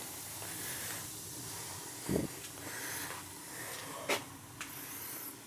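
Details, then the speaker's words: Gas boiler after replacing a leaking circulator with a new 07 circulator and purging zones, one zone calling: soft steady burner rush under light handling clunks, firing and running normally; vents cleaned of dust. "she's running she's a runner they clean all the vents good you don't want them on full of dust"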